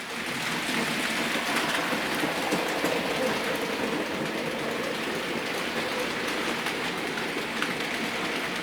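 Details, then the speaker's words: Circa 2001–2004 Duchess of Rutland R2231 model steam loco, pickups on all wheels, heavy tender weight, pulling heavy freight through points crossover: steady motor whirr, rhythmic wheel clatter, even pace, no labouring; normal running under load. "Okay, we're going to put this through a points crossover. And this is quite a heavy load."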